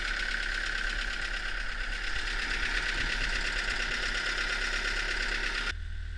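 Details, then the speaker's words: Old Hitachi UH043 excavator abandoned 16 years in woods, first start after draining water from hydraulic tank: diesel settles into steady rapid clatter with a thin high whine, running evenly without misses; most controls work. "Well, she's a runner. Um, most of the controls work."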